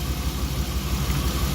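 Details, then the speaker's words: BMW E36 with cold-start transmission limp mode; unplugging coils one at a time confirms a bad coil pack; uneven idle with a low thump about six times a second from the dead cylinder. "Ready, guys and gals? Moment of truth. There you go, bad coil pack."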